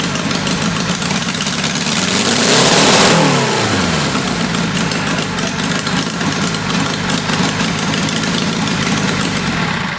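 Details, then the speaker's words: Military four-cylinder engine (about 525 cc) go-kart with Mikuni VM22 carburetor, test fired after tuning: blips up then settles into a busy, slightly uneven idle that stumbles now and then; rough running, owner suspects ignition. "Okay. I do think we still have some runnability problems. It could have something to do with ignition or something like that."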